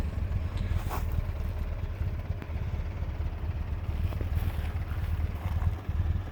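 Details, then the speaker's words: 1967 Alfa Romeo Giulia Super with newly installed 1600 Nord four-cylinder, original-style air filter: fires up quickly into a soft, steady, even idle with no knocks, thermatic fan running; normal idle. "So it fires up pretty quickly."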